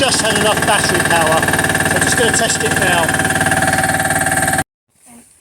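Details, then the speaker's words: Diesel machine reported for lack of power, after bleeding the fuel system at the injection pump's top inlet: a steady, even clatter with a regular firing beat holds for several seconds before shutdown; running healthy, fixed. "so this machine's fixed uh it was relatively simple and hopefully that'll be up and running"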